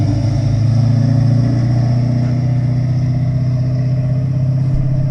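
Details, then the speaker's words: 1963 Chevy Nova after brake work: smooth, steady low engine hum with an even note and no knocks or misses; normal running. "there it goes yeah sounds good now"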